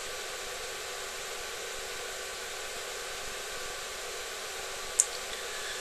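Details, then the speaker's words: Duratool ZD-915 desoldering station cooling fan after a speed-control upgrade, with the sensor heated. Smooth, even airy whoosh with no ticking or rubbing; fan running normally at full speed. "so the fan is now starting to run Full Tilt I can feel the draft all the way up to where I'm sitting"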